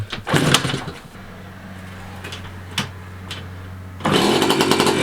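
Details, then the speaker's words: 1985 Yamaha QT50 two-stroke scooter, first start after sitting, spark confirmed: fires in ragged bursts only on starting fluid, then fades out; fuel starvation, no fuel getting through, suspected clog. "so it's only running off star fluid we must have a clog we're going to clean the car and just make sure the jets are clear"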